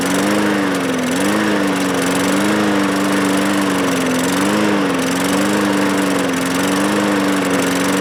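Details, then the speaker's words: Discarded Bolens lawn mower with Briggs engine, after starting fluid sprayed into carburetor throat: fires and holds a buzzing run with gently wavering pitch; runs only on starting fluid, suspected fuel supply problem, carburetor bowl then cleaned. "And we'll start it up, see if it'll start and run even for just a few seconds on the starting fluid."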